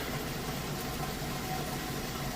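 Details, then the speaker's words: Maytag Centennial top-load HE washer, moving out of the wash cycle: steady low hum under rushing water, draining with no grinding, rattling or squeal; the drain pump works normally. "Alright guys, moving out of the wash cycle. It's draining the water out."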